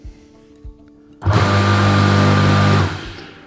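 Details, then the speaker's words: SIP pressure washer electric motor wired directly with switches bypassed, live via jumper to motor and neutral joined; kicks in suddenly, strong even hum about 1.5 seconds, then winds down cleanly: motor runs fine. "So we're looking for this to spin up. Okay, here we go."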